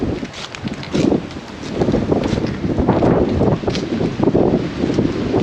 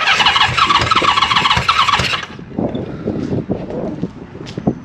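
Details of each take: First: Honda CB550 motorcycle, gas fed straight into cylinders bypassing floats and bowls: cranks, catches and runs unevenly a few seconds, likely on leftover starting fluid rather than its own fuel. Brief run on primed fuel. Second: Honda CB550 four-cylinder on a first start. Fires and revs raggedly about two seconds with crisp exhaust bark, then dies; engine starts and runs.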